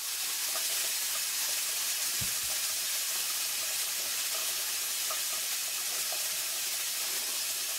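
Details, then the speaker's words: All-American 921 pressure canner venting after canning meatloaf; soft steady hiss of steam escaping with no pops or sputters as residual pressure bleeds off. When the hiss stops, no pressure remains; normal steam venting. "another way you can tell is basically you have no sound coming out no steam coming out this is steam you hear that that steam coming out and when you don't hear it anymore then you also know there's there's you know no more pressure built up"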